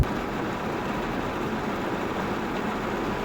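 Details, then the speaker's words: 2022 Hyundai Creta Style cabin in rain: dense low rumble and patter from rain drumming loudly on the roof for three seconds, no engine heard; cabin quiet when dry, owner recommends adding sound deadening. "kalau lu beli Hyundai Creta, lu harus tambah peredam lagi karena mobilnya cukup berisik pada saat hujan."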